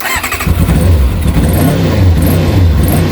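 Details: Kawasaki ZX-6R after 10 years idle, carbs cleaned, warming, restarting after tickover slowed and stalled. Short crank, catches at once, settles into even low throbbing idle; starts easily; owner thinks carb idle adjuster may need speeding up slightly.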